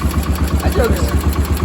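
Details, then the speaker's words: Cub Cadet 1250 hydrostatic tractor that sat 20 years under a barn shelter, carburetor cleaned and tuned: quick, even single-cylinder thump at steady idle, no misfire, knock or smoke; normal idle. "is quiet in ain't smoke I ain't seen smoke a drop"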